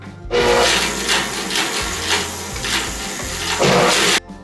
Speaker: I bent my bandsaw blade whenever I was cutting this big full log. I got it in there a little sideways, so you're going to hear it thumping a little bit, but I think it's still going to work.